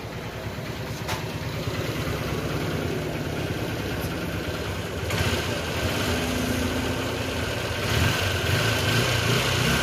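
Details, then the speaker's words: Honda single-cylinder bike just after a full engine rebuild and reassembly, not yet run in; steady, slightly lumpy idle putter with no knocks or rattles, expected to smooth out once run in. "Okay engine sound అనేది ఈ type అయితే వస్తుందన్నమాట ఇంకా smooth అయితే అయితది అన్నమాట"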